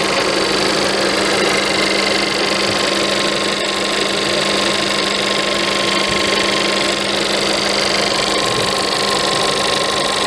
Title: VW Polo 1.2 TSI 66kW engine rattling noise when cold